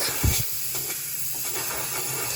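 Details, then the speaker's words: Turbo B16 Honda Civic EG (1992–1995), intake pressurised for leak test: steady airy hiss from under the engine; boost leak from cracked intake manifold underside, plus a leaking vacuum line at the back. "cracked underneath I can't show you but you can hear just doing this to the bottom of the manifold so we've got three little boo leaks"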